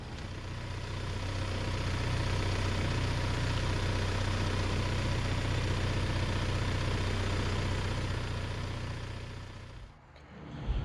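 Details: 1997 Toyota Tacoma 2RZ-FE four-cylinder after timing chain, guides and gears replacement, idling with E1 and TE1 diagnostic terminals jumpered to check base timing: smooth, even low idle, steady pulse, no knocks or ticks; timing found within spec.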